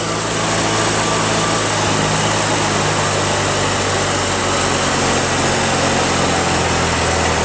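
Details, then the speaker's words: Toro 616Z zero-turn mower engine that sometimes ran on only one cylinder; hot, steady even buzz with no skips or lopes, both cylinders firing. Normal running, both cylinders firing. "Sounds like both cylinders are working. Sounds great."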